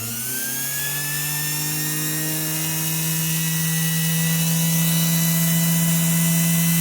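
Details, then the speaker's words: Girmi mini robot food processor motor, over 40 years old, bench-tested at 120 V AC after repair: clean, steady whine climbing slightly as it spins up, no grinding or rattle; motor back in perfect working condition, ready for reinstallation. "he's working really well so the motor which is now work back into a perfectly working condition and it is ready to be installed back into the unit once again"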